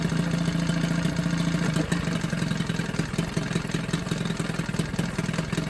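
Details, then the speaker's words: Johnson 9.9 outboard after a carb kit rebuild and new plugs gapped to spec: steady, slightly rattly idle with an even beat, no misses or surging, pretty quiet; running fine, normal idle. "that's pretty quiet when I'm be straight there"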